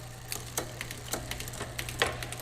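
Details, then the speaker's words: Magnum Navigator electric bike drivetrain check while pedaling, shifting one gear at a time through all eight cogs: single clean clicks over a faint hum, no noise or misshifting. Factory adjustment is correct and the shifting is crisp. "Check the shifting one shift at a time. No noise, crisp shifts in between each cog."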